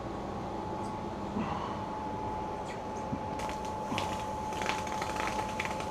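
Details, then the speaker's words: Thin laminate sides, soaked in water, steam-bent on a bending iron set around six (then turned down slightly as it keeps heating); faint scattered crackling pops over a low steady hum, the popping you want, normal wood bending. "what you want to hear that popping so I'm running my iron about uh six it's too off high it's probably going to get continue to get heated up so I'll turn it down just a little bit"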